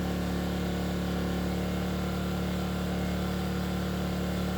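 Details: Enkeeo SC2300i 2300W 79cc 4-stroke OHV inverter generator taking a 1500W load on high as the draw climbs to about 696 watts: steady, even drone with a strong low hum and no knocks or misses. Healthy running under load.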